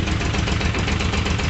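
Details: Moto Guzzi V50 winter project, started from cold: even, steady low thump at idle with no misses, ticks or knocks; carbs sound well balanced and set up.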